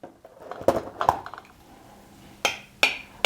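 Each spoon tap gives a crisp, bright ring with no dull thud, so these lids are properly sealed.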